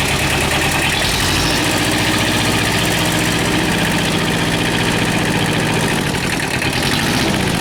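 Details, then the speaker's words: Kubota two-cylinder diesel tractor just after low oil pressure repair and rebuild, still on old oil, before warm-up: steady idle with lumpy, uneven two-cylinder beat, no knocks or rattles; normal healthy idle. "sounds good it's a two-cylinder so it's got a weird kind of thought to it"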